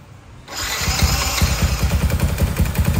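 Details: Motorcycle with a loud noise from the top of the engine, first thought internal. Once it fires, a loose tapping rides on the idle at about two or three a second and stops when the part is pressed; a cracked bracket rattling.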